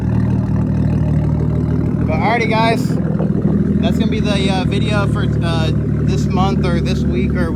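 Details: 1993 Nissan Skyline GTS-T, RB-series turbo six with MaxpeedingRods turbo at 15 psi, no tune: steady, even idle with smooth low rumble, no knocks or hunting; normal idle, though owner says the dirty idle air control valve sometimes makes it nearly die.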